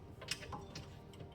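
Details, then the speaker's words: Toyota Mark X GRX133 removed wheel bearing turned by hand, after metal-on-metal noise and bassy knocking above 40 km/h: faint uneven ticks and dry grittiness inside; gritty wheel bearing, suspected damaged ball. "It's not great this wheel bearing. So, like you're sheing a knife. But you can hear it inside like the grit."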